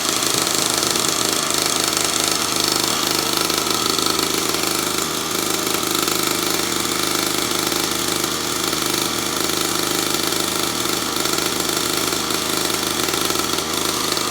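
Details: Newly assembled kids' dirt bike, first start, new pipes and engine breaking in: small single at a steady, even idle with bright exhaust note, no misses or knocks; runs healthy.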